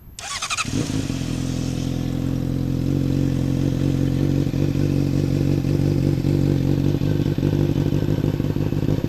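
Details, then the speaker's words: Warm 2007 Honda CBR600RR at about 157°F engine temperature: the starter whirs, then the engine catches and settles into a deep, even, steady burble. Normal sportbike idle and exhaust note, not cold-revved. "exhaust don't worry I'm not cold revving it uh the bike is 157° fah the engine right now"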